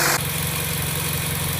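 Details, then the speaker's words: 2012 Chevrolet Sonic, 100,618 miles, right after replacing a leaking valve cover and PCV assembly: smooth, quiet, even idle with a steady low hum and no ticks, hiss or stumble. "all right so now we have the pretty silky smooth idol everything's back together"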